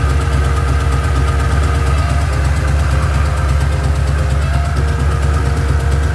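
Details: Mustang with a bone-stock two-valve motor, headers cut because they were welded without flanges: a loud, raw, deep rumble at steady idle with no muffling. Exhaust open at the headers.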